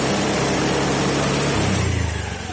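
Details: Honda Scoopy injection scooter (2018 or 2019) idles smoothly, picks up cleanly on a quick blip and settles back without stumbling or dying; fuel pressure around 4.2–4.3 psi after the fuel filter fix, no longer stalls: healthy idle.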